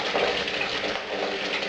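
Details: Bucket blaster keg and fermenter washer for a brewery, just switched on: steady rushing spray up and down the sides draining back to the bottom, even flow, no pump labouring or rattling; running normally.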